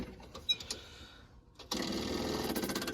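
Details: Champ forklift of unknown year that sat for years: after a quiet stretch the electric fuel pump starts with a steady high buzz and fast pulsing, holding even; the pump runs properly and fuel now reaches the carburetor.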